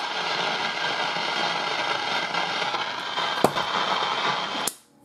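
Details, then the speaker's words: Old Philco tube radio stored over 20 years: steady hissing crackle from the speaker with occasional sharp pops, then it cuts off; grid-to-plate leakage found in both IF transformers, which must be replaced. "both of the Transformers are shot"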